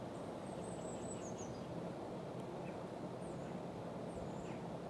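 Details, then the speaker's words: Daikin heat pump outdoor unit installed by Octopus, recorded about a meter away on a mild day: a soft, steady rumbling fan whoosh under birdsong with no rattle, knock or grinding; running normally. "It is making a noise, it's a definite rumbly fan noise but I'm now about a meter away from it"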